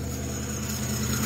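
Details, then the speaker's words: 2006 Chrysler 300 on cold start: steady high-pitched serpentine belt squeal over a smooth idle that fades after 20-30 seconds once warm; heavy rust on the alternator pulley grooves suspected as the cause, not confirmed. "And it looks like that rust is even inside of the grooves of where the belt rides. So that's not good. That could cause noise."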